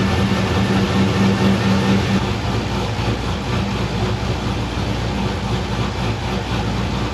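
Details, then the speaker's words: GTO with new homemade intake and MAF sensor deleted from tune, after the throttle body was opened a little more because it seemed starved for air: steady, even idle with no stumbling or hunting; smooth idle, not a fuel issue. "all right seems much happier there just dial the throttle body a little bit opened it up a little bit more seems like it was starving for air"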